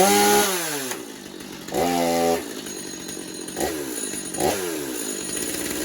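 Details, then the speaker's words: Stihl MS250 chainsaw, warmed up, after new clutch drum sprocket and air filter, pretty much bench tuned: crisp blips from idle to high revs and back to a steady idle; running healthy. "And there we go. Another saw down, another saw ready to go. Pretty much bench tuned."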